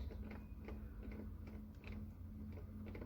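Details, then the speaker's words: Lada XRAY door handle after lubricating its squeaking spring and coating the cable with silicone grease: soft, regular clicks with no squeak over a low hum. "здесь вот эта пружинка скрипела там видно когда-то была была смазка я уже почти не осталось я еще добавил смазки и дополнительно еще тросик смазан силиконовой смазкой и все тишина"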